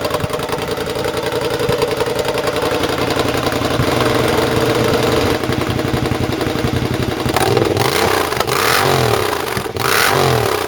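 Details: Triumph motorcycle with newly fitted rebuilt, loud open-pipe exhaust: revving, then sharp pops and crackles on the overrun as revs fall; running lean because the air injection system (AIS) is still connected.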